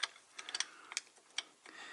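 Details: Truck air-brake slack adjuster turned with a wrench to rotate the S-cam, mimicking brake application: crisp metallic clicks, about seven in two seconds, spaced unevenly; internal ratchet working normally.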